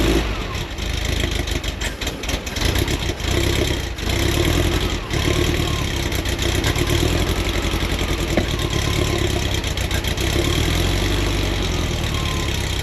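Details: VW Kombi camper idling on a newly built custom exhaust that replaced the rusty old one: steady low drone with a few light blips, no rattles or leaks, quieter than the old system.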